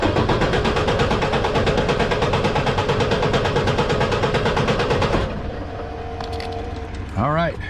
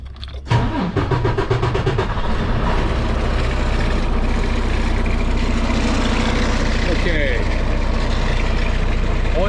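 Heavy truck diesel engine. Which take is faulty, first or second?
second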